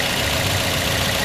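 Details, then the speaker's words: 2009 Toyota Yaris E engine idling warm after start-up, checked as part of a used-car inspection; sound is steady with a dense, slightly rough hum and no knocks or squeals, not perfectly smooth but still normal. "Kalau diperhatikan di mobil gue ini, suaranya masih normal, walaupun nggak terlalu halus banget, tapi masih normal."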